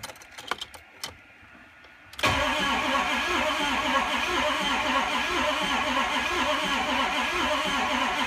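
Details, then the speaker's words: 2004 Ford 6.0L Powerstroke, crank no start: steady lopsided cranking that never catches. Injectors fitted untorqued let crush washers leak combustion blow-by, causing low compression in some cylinders. ICP can exceed 500 psi, and the batteries are weak. "so that's why when this truck is cranking it kind of sounds like it's missing but what it's actually doing is it's letting air go by uh as it's spinning around and not creating enough compression on some of the cylinders"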